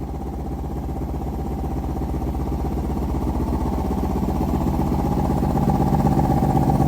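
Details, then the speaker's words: Mini bike fitted with a 2003 Kawasaki Ninja 500R twin engine, just retimed, on dual carbs only partly tuned: a steady, even idle that builds cleanly with revs, no knocks or misses, though the carbs still need more tuning. "We got it to idle and rev out decent. It needs a bit more, but I'll fire it up and rev it for you guys a bit."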